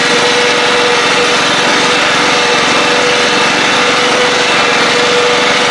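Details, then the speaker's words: Craftsman LT 1000 riding mower with this exhaust, on a ride: loud even buzz at steady speed, constant tone without misfires or knocks; engine running well. "This engine runs really well. Heck yeah, not too bad, not too bad at all."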